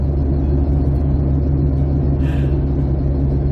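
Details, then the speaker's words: 2008 Jeep (Compass/Liberty) driving at constant speed: a steady low drone hums under road rumble; the hum's source is unknown, and front wheel bearing work was underway. "now I'm hearing a humming in this 08 Jeep Compass"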